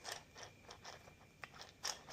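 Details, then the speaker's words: Freshly rebuilt oil pump for a Massey Ferguson 35 Continental Z134 gas engine, turned slowly by hand. It gives uneven dry scraping ticks as a gear rubs on the back of the cover. "You hear that? It's like rubbing on the back of the cover."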